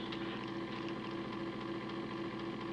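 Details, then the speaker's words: Homemade decoder tester motor, on a Tech 2 power pack at 50% power drawing 1 amp: steady hum with a pulsing buzz and irregular crackle as the brushes arc inside. Owner suspects the motor is cooked and shorting/frying decoders; plans to replace it. "yeah that doesn't look good eh she's sparking well um interesting so it's sparking at fifty percent one amp"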